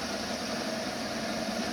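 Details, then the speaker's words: Home workshop lathe after alignment, spindle lacking proper grease: even whirr with a faint mid hum, no wobble thump or rhythmic rub. It runs smooth and true. "no wobbly gooks in it no nothing"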